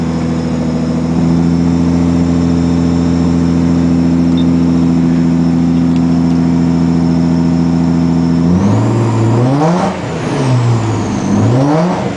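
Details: 1996 Ford Probe GT with KLZE engine: steady idle, then the note turns rough and uneven on light throttle blips. Misfire worsening after days of backfiring out the exhaust at high revs. Plugs changed a month ago; owner suspects the old, melted, warped plug wires.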